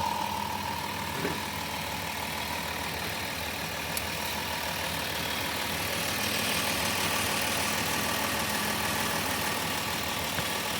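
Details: Van just jump-started after battery drained while changing gauge-cluster bulbs to LED, brand new serpentine belt: steady, even idle with no knocks, misses or belt chirp over a constant hum; engine sounds smooth and healthy.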